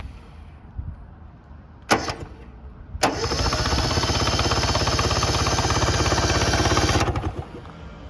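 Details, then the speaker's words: 1970 Subaru Sambar pickup, off the road 40 years, cranked on a crusty starter with spark plugs out: even, regular compression pulses, no skipped beats; both cylinders compress normally; distributor points gummed up. "Let's check out these cylinders, see if we're getting compression. Oh yeah, it's sucking my finger down. Yeah, both of them have compression."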